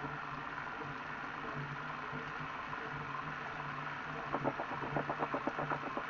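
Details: Elite Direto XR trainer after under 5,000 km: low steady hum, then quick uneven knocking and grinding from the rear drive, louder under harder riding; owner suspects idler pulley or belt wear, rubber shreds found from the belt.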